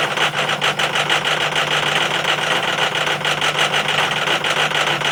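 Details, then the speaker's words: 2005 Powerstroke 6.0L diesel, cold start after a hard start: the engine started rough, then settled into a steady, even diesel idle with no stumble or misfire. It only needed extra battery charge. "Started. Fucking rough. There. Running perfect now. All she needed was a little extra juice."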